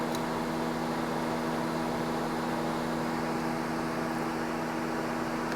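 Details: 8th-generation Honda Civic with the radiator and condenser fan relays reinstalled: even, steady whir with a constant low hum and no rattle or scraping; both cooling fans running normally.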